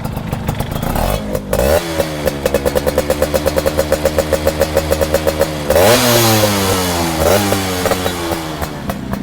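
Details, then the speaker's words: Viz R ZHE 2003 two-stroke, all-original CDI ignition, weak battery, double-start: crisp rapid popping at idle, rising cleanly with throttle blips and settling evenly; normal idle and revving. "Renyah banget untuk suaranya ya, ini ya."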